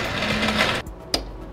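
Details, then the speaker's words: Scooter that starts normally on the kickstarter: pressing the electric starter gives a high whir under a second then a few light clicks, starter spins but the engine does not start; spark is present. "mais le scooter ne démarre toujours pas. Si tel est votre cas, alors cette vidéo est le bon endroit pour vous."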